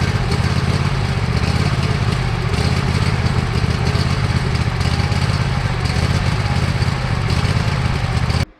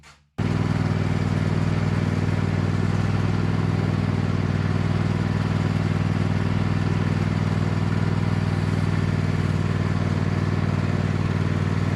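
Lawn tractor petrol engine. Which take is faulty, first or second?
first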